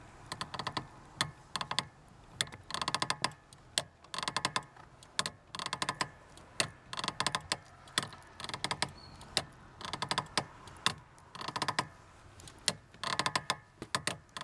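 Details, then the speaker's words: Lada Granta liftback, clutch pedal operated with engine off: sharp creaky chirps about every half second, one per pedal stroke; clutch pedal return spring squeaking, to be lubricated with WD-40. "это как бы я думаю понятно что это именно сама пружина скрипит собственно попробуем сейчас устранить этот скрип который реально последнее время начинает напрягать"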